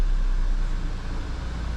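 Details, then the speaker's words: 2011 VW GTI, towed in with a misfire, fuel smell and cylinder deactivation code: now runs with an even low rumble, no stumble, no misfires; suspected spark plug and coil or injector, plugs recommended. "This thing's running fucking fine right now, man."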